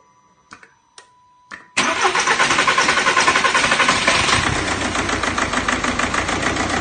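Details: BKD diesel engine cranks and fires, then settles into a lumpy, uneven clatter pulsing about 3–4 times a second; rough idle.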